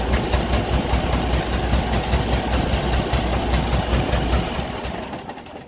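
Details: Cummins ISX15 truck diesel idles with a sharp, regular puffing tick and an uneven lumpy beat from a misfiring cylinder with a massive compression leak, indicating engine failure.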